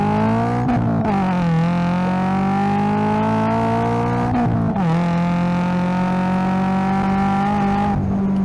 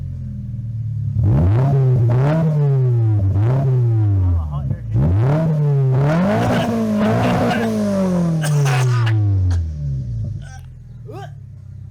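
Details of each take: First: 2025 Toyota GR86 with JDL front pipe and overpipe plus HKS Hi-Power single-exit exhaust, after fixing an exhaust leak: clean, strong note with low-end rumble climbing through the revs and gear changes at wide open throttle, no leak. Healthy exhaust at wide open throttle. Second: 2025 Toyota GR86 with HKS single-exit exhaust and JDL front pipe/overpipe, wrong donut gasket fitted: loud raspy revving with a harsh blatty edge on each blip, exhaust leak at front pipe flange.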